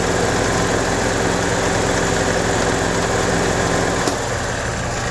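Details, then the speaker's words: 2015 EZGO Express S4 gas golf cart, sat over winter, crank-no-start from water in carburetor; after fix, with fuel filter added, starts without choke and runs an even fast putter, about three pulses a second, no stumbling; healthy idle. "so we're able to get the engine to start without choke which is good"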